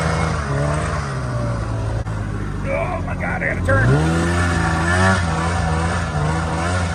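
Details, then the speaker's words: Snowmobile ZL550 two-stroke that had a no-start, revved after repair: it had spark and the fault was fuel. Sharp buzz climbs and drops cleanly through each blip with no misfire or stumble; pulls strongly and runs healthy. "you're right something it just makes you smile you're right it does rip from 550 that's pretty quick"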